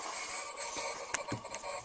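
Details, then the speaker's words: Very slight water leak under a house slab, likely in the footing near the water heater lines, heard through electronic leak-detection listening gear: faint steady hiss of running water with a few clicks; re-pipe suggested. "through my setup that is the sound electronically of the leaks running now through the slab we cannot get that type of indication on this uh whereas with our leak detector we could"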